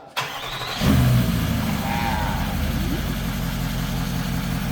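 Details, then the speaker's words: Range Rover TDV8 4.4 diesel V8 restarted after a complete engine overhaul: brief crank, catches within a second and settles into a smooth, even idle with no knocks or misses; radiator and bumper still to be fitted. "Yeah, the car is cool now. So it's only fitting the radiator and the bumper."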